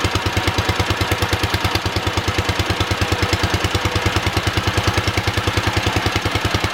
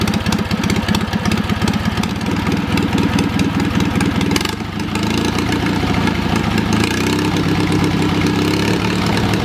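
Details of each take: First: Wisconsin THD twin-cylinder engine at first startup after repair: loud, lopsided thumping idle around three beats a second with a hollow, uneven pulse, running on one cylinder because one cylinder's exhaust valve is stuck; later freed with oil. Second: Wisconsin THD twin-cylinder engine after freeing a stuck exhaust valve with oil: steady putt-putt from both cylinders at fast idle, slightly choppy, until it ran out of gas; runs pretty well.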